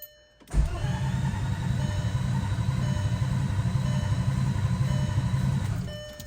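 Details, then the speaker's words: Turbo 24v VR6, not run for about a year, fresh oil and coolant lines fitted, coil pack connectors unplugged to prime oil: starter cranks the engine evenly for about five seconds without firing, normal strong cranking. "got the coil pack connector's disconnected we're just going to prime it real quick see if it even cranks"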